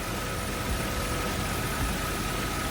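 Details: Nissan Cima Y33 VQ30DET after alternator replacement, idling under lights and fogs load: steady, even hum with faint constant high tone; smooth idle, charging measured 14.55 V, healthy.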